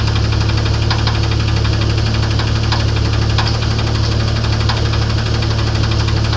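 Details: 1994 'Grand' with 4-litre engine at idle: steady low rumble with a regular light knock about three times a second; internal engine knock, cause not yet found.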